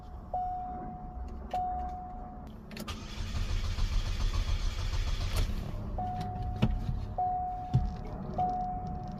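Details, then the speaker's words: Chevy Cobalt SS first start after engine install, fresh battery plus jump pack; a few chimes, then several seconds of steady cranking that never catches, no pump hum beforehand. Fuel pump not heard priming. "So I don't hear the fuel pump running, but"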